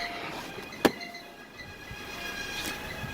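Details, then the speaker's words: 2006 Suzuki Forenza, about 150,000 miles, won't rev past 2000 rpm (later traced to two clogged catalytic converters), no check engine light: thump at start then thin, steady high-pitched squeal over running engine, source not pinned down; squeal on startup. "for some odd reason you think there would be a check engine light there that noise kind of a squeal"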